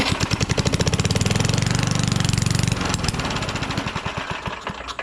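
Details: A trash-picked Craftsman/AYP push mower with a Tecumseh engine, after cleaning and priming, fires and chugs briefly, then slows and dies within seconds. The owner suspects it is not getting enough fuel and also checks spark.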